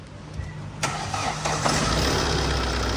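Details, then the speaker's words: Tata diesel after the high-pressure pump and filter work, injector cleaning, rewiring of the fan circuit that had back-fed and shorted the ECU, and an ECU replacement: a quick crank, a clean start and an even idle; revving shows no knock and no fault codes. "เบิ้ลไม่มีเขกแล้วนะแล้วก็โค้ดไม่มีในกล่องนะฮะตามนี้เลยไม่มีโค้ดแล้วนะนิ่งๆเลย"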